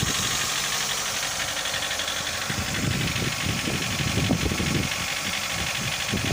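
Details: Mitsubishi Lancer 9 1.6 at warm idle: no knocks at a cold start, only slight shaking, but once hot an uneven tapping of roughly four knocks a second mixes into the idle; the knock appears hot, cause unconfirmed.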